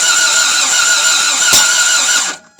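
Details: Toyota MR2 AW11 start attempt with cylinders soaked and fuel pressure near 38 psi: fast cranking with one sharp pop, then no start. This is a backfire while cranking; the owner suspects an intake hose came off.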